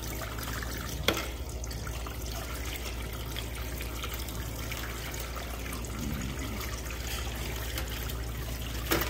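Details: Hot water is melting a severely frozen evaporator pair in a walk-in cooler that was leaking water. Faint popping and soda-like fizzing sound under the running water and background hum, pointing to a low refrigerant charge.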